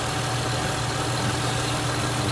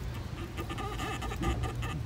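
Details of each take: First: 2005 Ford Mustang 4.0L V6 after water pump and thermostat housing replacement, running a couple of minutes and starting to warm up: smooth, even low idle hum with no ticks or knocks; normal idle. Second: Removed original water pump from 2005 Ford Mustang 4.0L V6, turned by hand: rubbery, uneven rubber-on-rubber squeaks, thought to get worse when hot; worn pump, replaced along with thermostat and radiator fan.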